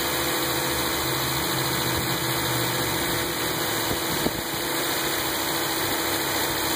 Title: Buzzing noise:Volvo s60